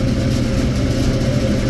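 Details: Mid-temperature unit cooler with the liquid line solenoid valve installed correctly; the drop across the valve is 1° versus over 10° when backward: even, steady low hum with no rattles, whistles or surging; normal running.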